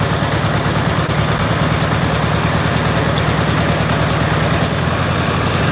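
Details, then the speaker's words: VW Beetle after valve adjustment and tune-up: choppy, uneven, loping idle with a hissy background from a vacuum leak at the intake manifold boot; tightening the clamp did not help and the boot needs replacing. "So guys, if you can see that boot needs to be replaced. Tightening the clamp did not help the situation."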